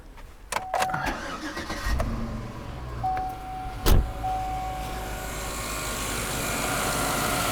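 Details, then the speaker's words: V8 after new fuel pump installed, cold weather: a few clicks, short crank and immediate catch with no long crank time, settling into smooth steady idle; normal quick start. "You guys did hear it when I first started it. It was immediate startup, no long crank time at all."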